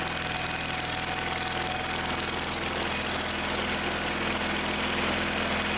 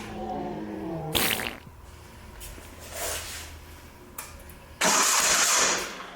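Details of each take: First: Old Simplicity tractor that wouldn't start, after carb/fuel fitting work, cranked on choke: steady even idle with fast regular beat, no misses or knocks, running on its own; some gas leaking from a fitting. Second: Old Simplicity garden tractor with Onan CCKA engine, with spark confirmed: it catches in short bursts, runs a second or two and dies each time, pointing to fuel starvation.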